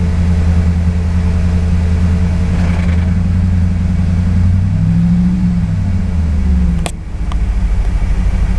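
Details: Audi RS6 C5 engine: deep, steady low-speed rumble with a faint fast clatter riding on it, a clacking that appears between 1100 and 1200 rpm near idle; cause unknown.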